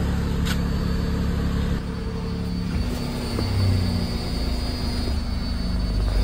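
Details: Tata Nexon after fuel pipe replacement, started to check for leaks; steady low rumble with an even, unbroken rhythm, no misses or knocks; normal idle.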